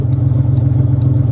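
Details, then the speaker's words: 2000 Jeep Cherokee XJ Sport, 4.0 I6, with loud exhaust: light rapid ticking over a low engine rumble from the flasher relay, with very fast turn signals. Hyperflash (fast-clicking flasher relay). "a tiny little clicking that clicking is a flash of relay and along with that clicking really really flat fast turn signals"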